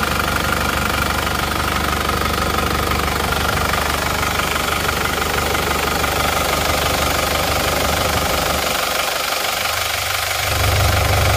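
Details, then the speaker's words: Isuzu Panther diesel before rebuild, smoke from the oil filler cap, lacking power: hard, rapid clatter about three beats a second with a breathy undertone at idle; mechanic judges compression leakage from worn rings or liners. "untuk kondisi mesin yang seperti itu emang kalau menurut saya itu emang sudah positif itu adalah gejala kebocoran kompresi dipastikan itu sudah ada kausan ya baik reker atau linernya itu pasti ada"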